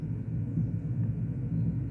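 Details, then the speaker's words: Vox AC30/6TBX amplifier on the bench, current limiter switched off: low uneven rumble swelling and fading over a steady hum through the speaker; amp has serious noise issues and is overdue a full service. "Yes, there's a bit of rumbling there as well."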